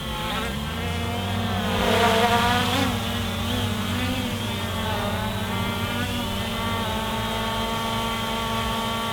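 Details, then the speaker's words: MJX Bugs 2 B2C GPS camera quadcopter with brushless motors hovering close in: a steady, smooth, even layered buzzing whine holding pitch, with a chainsaw droning in the background; normal motor sound. "The brushless motors sound amazing. I'll fly in a little closer so you guys can hear"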